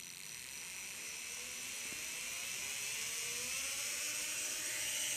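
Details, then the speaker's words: Matched pair of brushed RC trail-truck motors run for speed matching by sound: smooth, high-pitched, even whir. Front motor slightly higher-pitched than rear, so the pair suits installation. "this is the rear motor front that sounds a little bit higher pitch so this pair would actually be good for install"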